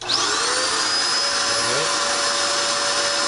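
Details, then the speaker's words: Dirt Devil Extreme Quick Vac, previously running but not sucking, after new belt installed: steady, even whir with constant high motor whine, starts cleanly, no slap or squeal; runs normally, belt spinning. "now it sounds pretty good. Just want to pick it up and see."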